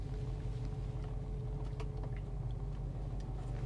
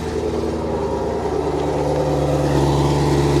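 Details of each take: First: V8 auction car, service engine soon light on, idling with a deep uneven rumble whose beat stumbles: a definite misfire at idle. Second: Chevrolet Camaro SS V8 with stock valved exhaust at idle, coolant reservoir empty: even deep burble, smooth steady pulse, quiet but healthy exhaust note; normal idle exhaust.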